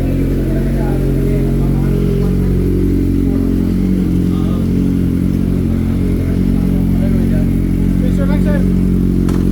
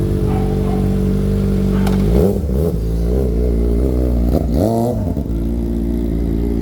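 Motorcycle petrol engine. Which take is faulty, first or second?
second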